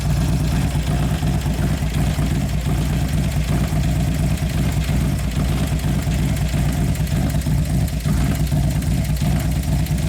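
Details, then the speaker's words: 2011 Harley-Davidson Road Glide FLT Twin Cam, running after reassembly: uneven light ticking about three per second over a deep V-twin idle, possibly more than one lifter, quieted somewhat but still present; noisy lifters suspected, unconfirmed. "Sounds like more than one in there. Something goes a little bit. Quieted down somewhat, but still in there."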